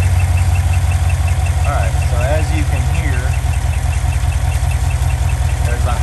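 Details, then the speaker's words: 2015 GMC Denali L86 6.2L V8, 114,000 miles, idling: fast light tick with intermittent high chirping squeaks changing with RPM, from a bad hydraulic lifter, noise growing worse since about 110,000 miles. "A bad lifter noise is gonna sound kind of like a high-pitched squeak."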